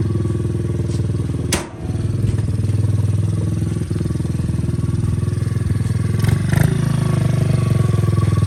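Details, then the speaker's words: 2003 Honda XR50 single, carburetor just set up and adjusted, fires up and holds a crisp, even putter of about three and a half beats per second, idling cleanly without stumbles; normal idle. "yeah, see, looking pretty good."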